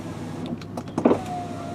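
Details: High-mileage 2002 Volvo S80 sedan rear power window: brief clunks, then smooth steady electric motor whine as the window travels, no grinding or straining; normal power window operation.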